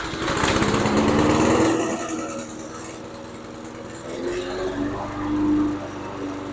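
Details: MTD Pro 21" 5.5hp push mower after repair and carburetor cleaning, fresh 91 octane premium fuel, automatic choke: small single-cylinder engine catches and revs to a raspy even drone, then settles to a steady run; normal running.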